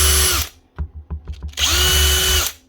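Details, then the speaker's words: Old Protool angle grinder: motor whine climbs gradually after each switch-on instead of snapping to speed, with occasional popping from the gear head; suspected too much grease causing resistance, fix is removing some; slow start-up. "plus she's starting off slow and picking up speed so have to say there's a lot of resistance on here"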